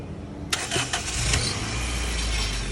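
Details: Honda CRX with an oversized engine whose starter wouldn't click over and a jump failed, in neutral with a mechanic: sharp snap, brief cranking burst, then the petrol engine catches and settles into a steady run.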